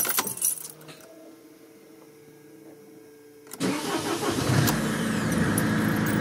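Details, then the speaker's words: 2006 Mercedes C200 with 441,870 km, after replacing the original starter that had made a strange noise: after a pause the starter spins briefly and the engine catches at once into a steady idle. Starter works normally. "Bon bah voilà. Ça fonctionne. Ah, c'est cool."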